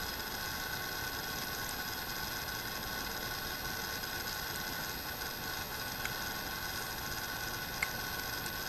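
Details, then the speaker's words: Sans Digital MobileRAID MR2UT+B enclosure fan switched on after sitting off a while: steady rough hiss-like grind that eventually smooths out, sounding like a dying fan with a dry, worn bearing suspected, not confirmed. "so this is what the sound of the fan sounds like when you turn it on after it's been off for a while and then eventually it sort of smooths itself out so it you know it sounds like the fans dying so that's a little bit disappointing"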